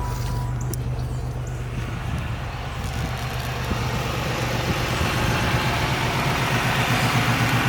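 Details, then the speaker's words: 1996 Pontiac Grand Prix SE 3100 V6 at steady even idle after replacing a locked-up AC compressor, new belt and battery; light quick ticking from a clicking PCV valve and a small exhaust leak at the back of the engine; otherwise sounds healthy. "Sounds really good. Got a little exhaust leak in the back of the engine."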